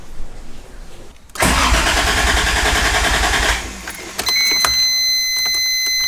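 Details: 1JZ-VVTi MK3 Supra that died while driving and wouldn't restart, now fitted with a new MK4 fuel pump and run without coolant to check for fuel leaks. A short crank catches at once into a steady, even run: a normal start.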